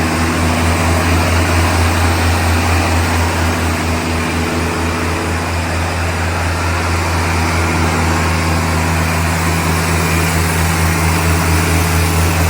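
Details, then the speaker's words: 1975 Land Rover Series 3, newly rebuilt engine at operating temperature held at about 2,500 rpm for a 20-minute run checking for leaks and noises: steady, even drone with no knocks, ticks or misses; normal fast idle. "Once the engine got up to temperature, then increase the revs up to about 2,500 and let it run like that for about 20 minutes, just checking for any leaks and any noises or anything out of the ordinary."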